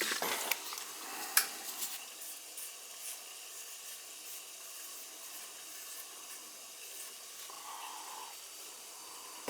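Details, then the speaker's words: Boiler leaking water, expansion tank found bad: purging air from the heating loop. A faint steady hiss of air out the purge hose fades, then a short gush as the loop clears. "give it a good purge you can hear you can hear the air going in there there it comes"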